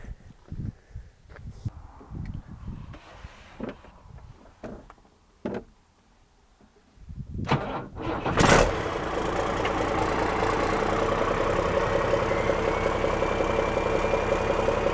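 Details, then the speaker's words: Cummins-engined Land Rover 130 diesel, first start after fixing coolant leaks into the oil galleries (earlier mayo-like oil). Starter grinds briefly, catches around eight seconds, settles into an even steady idle; good oil pressure, sounds healthy. "Got good oil pressure. Still sounds pretty healthy."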